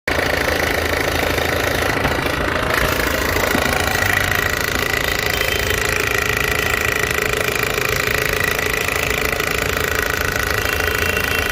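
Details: 2005 Toyota Corolla 1ZZ petrol engine idling with a fast metallic timing chain rattle; old chain tensioner found stuck, fix is replacing tensioner and guides.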